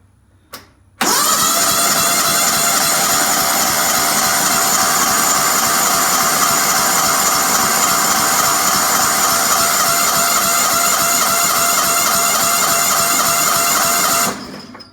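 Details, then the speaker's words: Riding mower with new battery, air cleaner, oil filter and fresh oil, fuel newly added: starter cranks at a steady churn about thirteen seconds without catching; carburetor float later found stuck shut, starving fuel. "I took the bowl off, and this was stuck. The float was stuck shut."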